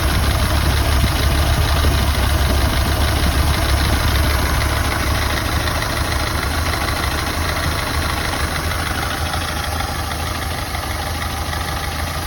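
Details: Ford Model A at idle: low, lumpy beat near three per second with a stumble breaking the rhythm; engine misfire.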